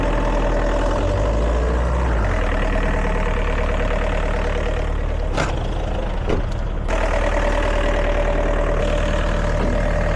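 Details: Diesel air compressor after repair of a burnt 50A fuse from a touching wire: steady, even low chug with a firm beat and no knocks or misses; running normally.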